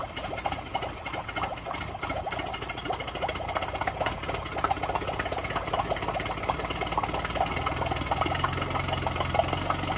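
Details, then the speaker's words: Yamaha 9.9 hp four-stroke outboard in a water test tank, impeller confirmed pumping: idles unevenly with irregular ticking, barely holding idle, almost cutting out when the choke is pushed in; owner suspects fuel starvation, with a primer bulb that won't decompress. "So it almost cut out as I put the choke in. As it was cutting out, I quickly pulled the choke out, and sounds like it's just about idling. But yeah, it's all about the fuel. There's no fuel getting through."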